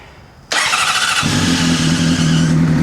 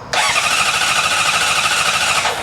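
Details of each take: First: Honda CBR600RR that would not start after a fuel pump replacement, first cold start after fixing it; the whole problem was one O-ring: brief crank, catches at once, smooth even idle; healthy start. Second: 2005 Honda CBR600RR with a newly replaced fuel pump, cranking in neutral with the clutch held: a steady high starter whir for about two seconds with no firing at all; no fuel pressure, traced to an unseated fuel pump O-ring.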